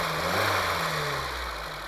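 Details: 1980 Honda Civic idling after a new ignition coil: an even idle with a light, quick tapping from the top end. Normal valve tick from the relatively large valve clearances.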